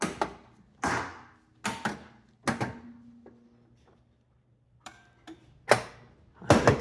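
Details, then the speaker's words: Weathered barn-find Bally Gold Ball pinball machine in solenoid test mode: separate sharp clunks firing one after another with pauses, each coil snapping in turn; solenoids working, normal solenoid operation. "We're going to the next test should be solenoids. They're working now."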